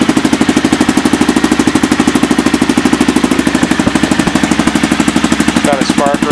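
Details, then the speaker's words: Aprilia Pegaso single at idle in the shop, after fitting a DG Performance oval KLR650 (2008–2012) exhaust can with custom mid-pipe: even, deep, steady strong beat, loud and throaty; normal idle. "it's a lot more throy you can tell probably getting a little reverberation here in the shop but it sounds like a beast now"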